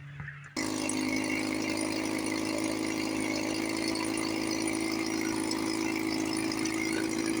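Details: 1954 Johnson 5.5 HP two-stroke outboard after restoration (cylinder head, water pump, carburetor packings, linkage, starter). Catches and settles into a steady, even buzz with no stumbles or knocks. Normal running, then out of gas.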